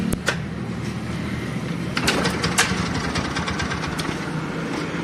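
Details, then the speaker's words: TVS Ntorq BS-4 scooter at startup and idle: sharp, irregular clicks and rattles at startup and again around two seconds; the mechanic suspects a failed starter one-way clutch or a loosened part. "तो जैसा कि आपने सुना यह आवाज तो मेरे ख्याल से जो इसका है वह व्वे खराब हो गया या ₹1 का नोट खुल गया है"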